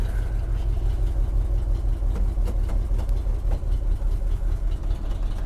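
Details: 1976 Jeep J10 truck, 401 engine, full-time 4WD, back running after sitting 29 years on a new fuel filter, electric inline pump and boat tank. Rough idle with sharp irregular ticking puffs: a huge passenger-side exhaust leak where the collector donut gasket is gone.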